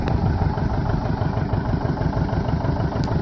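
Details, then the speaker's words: Vintage John Deere 720 two-cylinder diesel after head gasket repair, idling: loud thump with faint irregular tick about three times a second; owner thinks he hears a broken push rod or cam ticking, unconfirmed; not leaking, temperature fine. "But he said he could hear that broken, I think he said push rod or cam. He said he thought he could hear it ticking."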